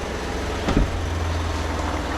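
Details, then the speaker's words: 2013 Ford F-150 3.5L EcoBoost, auction vehicle at cold idle: a rattling knock over the engine rumble, traced to the mechanical high pressure fuel pump; noise stayed steady through an injector dropout test. "so you might be able to hear it right right away it's a rattling knocking type noise um and uh it's coming from this area and i've pretty much chased it down to the high pressure fuel pump okay"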